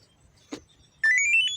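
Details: Washing machine that would not power on, after repair: short click then one bright electronic beep rising slightly over about half a second; machine now powers up normally.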